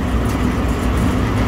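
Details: Restaurant vent hood exhaust fan, newly replaced 208/230 V three-phase belt-and-pulley motor, drawing about 3.5 A after ramp-up: steady even low rumble, no knocks, squeal or grinding; normal running.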